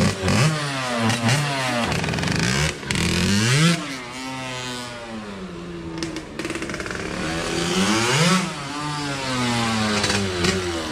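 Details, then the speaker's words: KTM 65 two-stroke with a recently cleaned carburetor revs raggedly, cuts out between blips and can't hold idle; the buyer suspects the spark plug or something else is making it shut off. "that sounds like any like spark plug or something else besides incorporating if it's shutting off like that"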